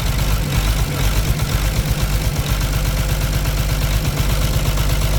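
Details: Caterpillar C13 diesel, cylinder head cover off, injector bolts loosened for a one-by-one cut-out test; loping, uneven idle with heavy smoke, one cylinder dropping out; damaged injector or rocker arm suspected, not confirmed.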